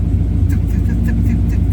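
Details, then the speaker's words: 1965 V8 with P0352 check engine code, fairly chilly day: uneven idle with a puff like one cylinder blowing air every revolution, tick-like; idle misfire, cause suspected, not confirmed, no new code reported yet. "It almost sounds like a tick, or like it just sounds like it basically sounds like a cylinder that just blows air every revolution, where it's like,"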